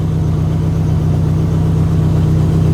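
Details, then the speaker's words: SRT-4 first start after new Walbro 255 fuel pump and fuel canister install: fired up and settled into a smooth, steady low idle with an even pulse, no misses, knocks or ticks, a little smoky; runs normally. "After all this time, it's finally running. She sounds good."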